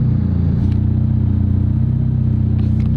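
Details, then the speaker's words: McLaren 720GTR Carbon damaged by a transport driver, struggling to climb a driveway hill: engine light flashing and a low, uneven, lumpy idle rumble instead of a smooth hum; rough idle. "Great. You got a damn engine light flashing. And now you can definitely hear the tone of it idling a little funny."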